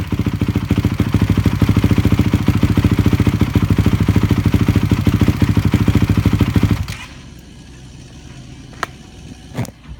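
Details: 2006 Honda CRF450X supermoto, first start after rebuild with new right crankcase, 98mm cylinder and Wiseco piston: single idles with an uneven, lumpy beat, then cuts out; rough running, carb still needs tuning.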